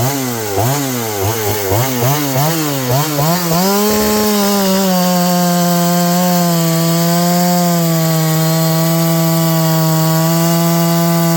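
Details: John Deere CS81 chainsaw that was leaking excess fuel, test run: blips a few times, then holds a clean steady high scream with no surging or dropouts; burning black off, muffler drying, needs more run time; normal running under load.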